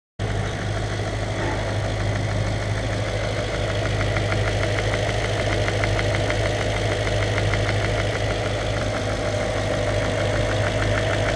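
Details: Audi S4 4.2 V8 (BBK) idling: quick, light tapping about three times a second from the intake manifold, caused by a manifold flap.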